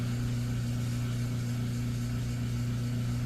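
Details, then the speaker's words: Chamberlain LiftMaster Pro 1/3 hp opener with chain removed after its trolley jammed closed: smooth, constant low motor hum, no knocking or grinding; motor turns freely both directions, apparently just needed resetting. "huh yeah both directions so I think it just needed to come off and get all reset again"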